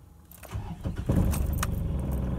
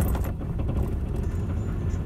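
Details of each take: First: Diesel vehicle, cold morning start after replacing slow-heating glow plugs: cranks briefly, catches quickly and settles into a steady, even low idle without stumbling; normal cold start. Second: Ford Courier diesel (similar to a Ford Ranger) on a cold start needing throttle; it lumbers and stumbles unevenly with smoke from the exhaust, then smooths once running; suspected faulty glow plugs, about to be tested; rough cold start.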